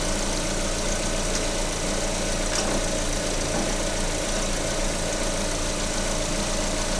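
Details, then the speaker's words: VAZ 21127 engine heard through a stethoscope on the water pump: a steady, even idle hum with no grinding or whirring, so the pump is normal; the bypass idler roller squeaks slightly. "Эта помпа была, помпа нормально."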